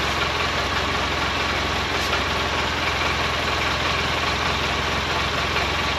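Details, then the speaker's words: 2012 Polaris Ranger 800 six-seater, revived with new parts, just after first start. Steady twin idle with a faint, light, regular rattle over the top; owner unsure of source, suspects play in the clutches. Rattle at idle. "Yeah, we have one little rattle. I'm not real sure what that is, but for the most part this thing is running great. Almost sounds like that rattle is clutches."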